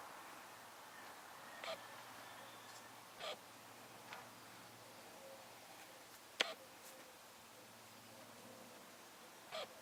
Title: Arlo and Athena - the squeaking noise is the camera not the rabbits!